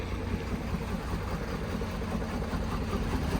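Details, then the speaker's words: Truck that had been stone dead and needed two jump boxes to start: rough, lumpy idle with an uneven low beat, one cylinder dead, a dead miss. "can you hear this thing it's got a dead dead miss"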